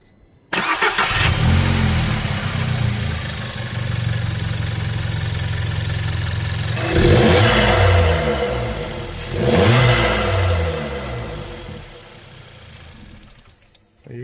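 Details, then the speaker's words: 1.4 TSI EA111 MK5 VW Jetta after fitting high-performance coil packs and NGK iridium plugs: cranks, catches, settles into steady even idle with brief blips; sounds healthy. "Obviously, when it's sort of just idling, we're not going to notice much, but I'm going to take it out for a little drive now."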